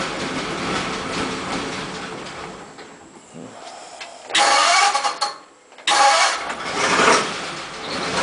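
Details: 1941 Ford pickup flathead engine catches and surges in uneven bursts, then sags and nearly stalls twice; runs but won't rev, after previously running well; culprit being isolated by substituting parts.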